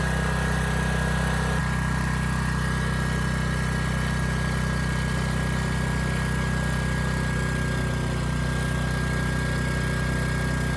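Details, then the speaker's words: Generac WheelHouse generator with a previously seized Briggs engine, after repair; steady even hum at constant speed with no misses or hunting; thought to be running over 63 Hz, no AVR, to be adjusted down toward 62 Hz. "But right now I think it's running over 63 Hertz, so I do wanna bump it down just a touch."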